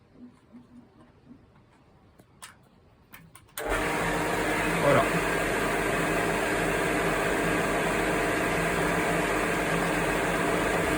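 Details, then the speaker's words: Pool pump motor after replacing the failed start capacitor that left it only buzzing: a few quiet clicks, then it starts instantly and settles into a steady, even hum; normal running. "Le condensateur a été remis, la boîte avec le joint est remise pour l'étanchéité quand on fait la la vidange du du skimmer. Voilà, donc tout est bon, tout est remis et là, quand quand on rallume au niveau du contact,"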